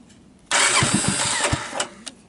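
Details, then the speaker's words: Vintage Honda TRX250 ATV after troubleshooting open circuits in the nearly 40-year-old wire harness and jumpering the switch wiring: starter spins the engine briefly with a few firing pops, wanting to start; electric start works again. "so there you are even heard it wanted to start"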